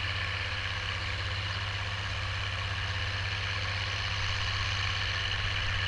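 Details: Oliver 1550 tractor, about 54 hp, disking with a JD BW disk 6–8 inches deep after fuel-system contamination cleared: deep, steady diesel drone pulling evenly with no knocks, misses or surging; clean, healthy running under load.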